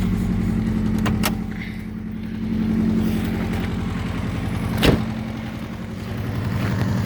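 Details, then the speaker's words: Subaru EJ205 turbo, over 200,000 km, compression 13.5-14, boost 0.7, no oil use, cold start at about -15°C: steady rapid knock about four per second under idle rumble; disappears when warm, cause undetermined. "В общем так, короче, на холодную стучит, на горячую вроде пропадает тут."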